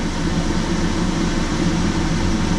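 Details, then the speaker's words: Fleetwood motorhome roof AC on test run with the ceiling assembly off, 74.8° room and a 20° drop wanted: only an even airy fan rush with a low hum and no compressor kick-in; 13 V DC reaches the relay, so the relay appears to have failed. "So it sounds like we've got a failed relay, guys."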